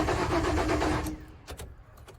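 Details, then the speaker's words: Ford Ranger pickup with crank no-start caused by a failed fuel pump: brief even cranking for about a second, then it drops away with no catch or firing; starter and battery working but no fuel delivery. "and everything sounds like it's going great. The engine's turning over, it's cranking, it's doing everything it needs to do."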